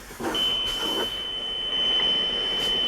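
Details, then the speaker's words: Grundig Satellit 800 (comparison unit, serial s800 7004997) switched on using the same adapter as the returned set: clean high beep over a quiet background, identical to the returned unit; normal power-on beep. "and there's the beep on on this other one both working identical"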